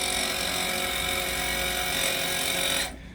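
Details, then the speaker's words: Sea Ray 320 trim tab actuator, new but defective out of the box: loud, steady buzzing motor racket that runs evenly then cuts off, while the good actuator on the other side runs quiet. "yeah that don't sound good and this one's quiet nice"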